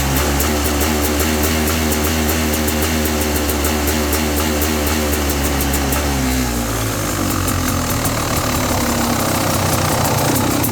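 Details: 17 XT two-stroke dirt bike at steady throttle, sea level, about 60°F, jetted 38/162/NECW3: uneven popping and stutter, a steady-throttle misfire; also surges when riding with occasional faint cylinder knock.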